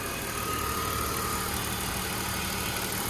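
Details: BMW donor car, 101,000 miles: a steady, even hum with no knocks, ticks or misses through the whole clip; the engine idles smoothly and sounds healthy.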